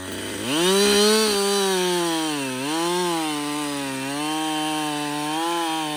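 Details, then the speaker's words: Husqvarna 562XP chainsaw, reflashed by the shop after dying when hot and stumbling; about an hour after starting, cutting. A clean two-stroke howl bogs slightly and recovers as it cuts, pulling steadily. It runs healthy under load. "so far it's running great um I've got I'd say about"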